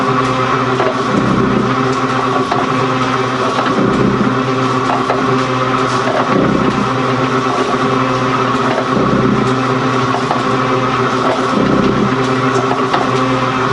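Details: Gould & Eberhardt 24-inch heavy duty shaper (1912 patent date; owner guesses 1912–1930), just shifted into high speed with the larger pinion engaged, first high-speed run. Steady gear whir with a stroke swish about every 2.5 seconds, no knocks or rattles: normal running.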